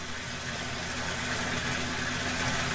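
Steady, even hiss and motor hum with running water and no surges or grinding; the pump is filling normally.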